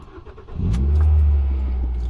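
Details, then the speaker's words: Ford Fiesta ST150 before the fix; engine catches and flares, then the revs hang around 1k instead of dropping back; a split PCV hose behind the intake manifold lets in extra air, causing a sticky idle. "what happens is the the hoses collapsed or a split so it lets more air in and the ECU reads that as an air like air coming into the system so obviously has more fuel and that makes it a rev or stick"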